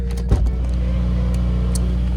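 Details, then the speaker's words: Modified Subaru WRX (Cobb intake and Accessport, Grimmspeed bypass valve, Remark axleback, AEM charge pipe, stage 1 e-tune) cold start: loud steady low rumble at raised idle, even beat, brief early blip, then quiets down; normal cold-start high idle. "Look, we're still cold starting right now, but like, you know, like it's got like that fucking strategized start or whatever. That shit is rowdy, bro."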